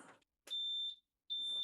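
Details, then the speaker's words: Yamaha outboard key panel after replacing the ignition key switches: on key-on with batteries on, two clean, high-pitched beeps, a normal, far less annoying buzzer; the appropriate beeps meaning things work and engines are ready to start. "Oh my gosh, that's so much less annoying of a buzzer. And we also got the appropriate three beeps that mean that things are working correctly, but the engines are ready to start."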